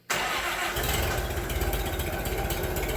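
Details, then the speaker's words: Minneapolis Moline BF tractor after in-frame engine rebuild, cold chilly evening: catches instantly and settles into a steady, even low idle without misses or stumbles; sounds pretty good, healthy start. "She sounds pretty good."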